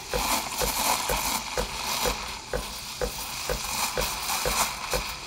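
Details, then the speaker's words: De'Longhi La Specialista Prestigio steam wand held longer at the milk surface for thicker foam: bright sizzling hiss with soft rhythmic tearing chirps about twice a second; normal milk aeration. "Là, on peut descendre jusqu'à la surface, on entend le bruit qui change. Et cette fois-ci, on va rester plus longtemps dans cette position pour créer une mousse un peu plus épaisse."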